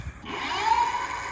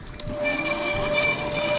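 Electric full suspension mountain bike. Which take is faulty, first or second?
second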